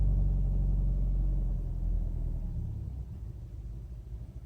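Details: 2007 Subaru Outback 2.5i right after cold start: low, lumpy idle with uneven shake about three pulses a second, fading as it settles; rough idle, check engine light never stayed on before.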